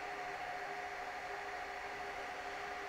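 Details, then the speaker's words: Dell R610 server at no load, ambient temperature sensor falsely reading 40C in a 23-25C room, about 74 dB: loud steady rushing air with a high whine. Fix is replacing the front I/O board; fans at excessive speed from faulty ambient sensor. "this particular one has a problem the fans are running unusually high and I don't know if you can hear it through the mic but it's actually very very loud"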